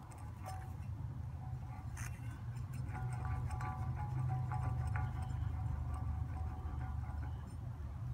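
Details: Mazda Protege wheel bearing spun by hand on the old knuckle before the knuckle swap: a rough, deep rumble with uneven ticking from a worn bearing.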